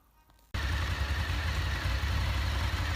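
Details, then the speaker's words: Honda VFR 750 after clutch basket repair (the knock from the clutch side was worse when hot and stopped with the clutch pulled): engine starts and settles to an even idle, about 1500 rpm, 90°C, fan on; no clutch-side rattle, normal. "Ну что завёл сейчас послушаем Как работает вот слышно что вентилятор включился 90 Гра температура так обороты полторы"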